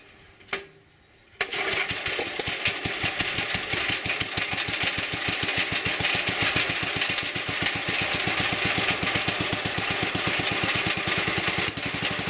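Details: Wheel Horse Commando 800 tractor with sickle bar mower and 8 hp pull-start engine, after replacing old belts: it catches after a brief pull and settles into a brisk, even four-per-second chug, running healthy, set in transport position.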